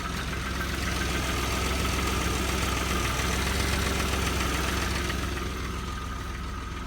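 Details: Audi V6 AAH engine, 1994, about 190,000 km, cold idle after start: steady low knocking, roughly three or four a second, from low in the engine; source not pinned down.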